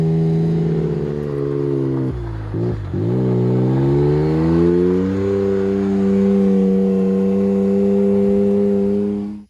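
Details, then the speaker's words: Can-Am Maverick X3 Turbo RR after ground-up rebuild following an accident, first test drive without the exhaust fitted: raw blaring note that dips then climbs under throttle; sounds good until floored, then painfully loud. "She's not thrilled because I didn't put the exhaust on before we went for a little test drive, and she said it was too loud. So It sounds good until you floor it, and then it makes my ears want to bleed."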